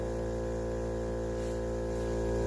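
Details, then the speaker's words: Viair 300P 12 V portable compressor inflating a tire with the car not running: steady motor drone with an even buzz and no knocking. Running slower than with the engine on, but healthy. "you can hear the compressor it's not running as fast as it uh does when the car's running"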